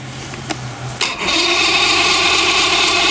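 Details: Motor on $500 DuraCraft boat, sat a while, fuel just hooked up and primed, no water hooked up: steady high starter whirring turns the motor over with no firing or catch; cranks but won't start, cause unknown.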